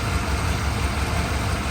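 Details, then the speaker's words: 1988 Chevrolet 1500 Scottsdale V8, cold idle after Seafoam in the tank and Marvel Mystery Oil in the oil, with weak ignition suspected: steady, even low rumble with no misses or stumbles. Runs much better than its earlier rough running. "I'm gonna call this a win, man. Honestly, because this thing was way better than it did before."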